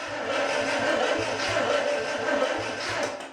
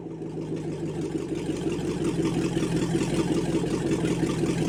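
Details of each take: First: International 345 V8 after rebuild and reassembly, spark confirmed, no fuel yet, ignition off, battery possibly low: starter spins the engine freely with steady whirr and regular compression chuffs, no firing. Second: International 345 V8 first start after reassembly, timing set by ear; lumpy, slightly uneven idle with a rev or two before shutdown, carburetor clearly needs work, mixture sounds off.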